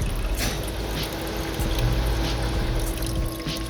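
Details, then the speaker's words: VREMI countertop ice maker just switched on after filling to the max line and priming, recorded up close; steady low hum, faint constant tone and trickling water, quiet enough for a nearby family room. Normal ice maker operation. "so for an ice maker that's pretty quiet so while your because the family room is pretty close to the kitchen we watch a lot of movies this thing doesn't make a lot of noise"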